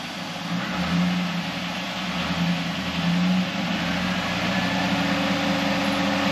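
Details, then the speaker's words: 2001 Camaro SS (SLP) after swapping to a Cardone power steering pump and new lines/hoses: even idle rising gently with light throttle, no whine, only engine sound; previous factory pump whined, now quiet and healthy. "You would normally hear it whining. All you hear is motor now."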